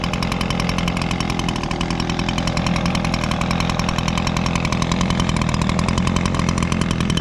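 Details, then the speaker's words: Echo two-stroke leaf blower, carburetor replaced last spring, on Echo Red Armor fuel, started surprisingly easily: fast, even buzz holding steady with no hunting or dropouts; normal idle. "Wow, that is amazing. I did not expect this thing to start that easy."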